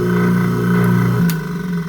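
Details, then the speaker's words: Sink garbage disposal, previously buzzing but not spinning, after freeing it by spinning with a drill and reinstalling: steady, even low hum with a smooth whir and no grinding or buzzing stall; something stuck was likely freed, running normally. "Okay, so now we know that it's working. It's got power. So maybe something was stuck underneath."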